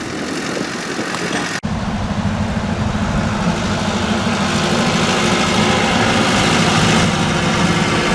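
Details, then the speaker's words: Ford 800 tractor pulling a disc: steady, even engine note with no misses or knocks after a brief dropout, running well again; owner wonders if timing had been out, unconfirmed. "Seems to be running really good now. I don't know. That's freaking weird."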